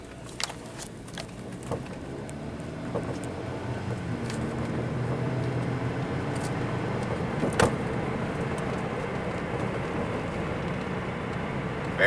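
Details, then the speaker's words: Hyundai Veloster test drive after installing rear coilovers: steady road rumble with scattered sharp knocks and thuds over bumps, front always made noise; suspension noise while driving. "let's listen to this terrible suspension noises yeah I just want to make sure it's safe"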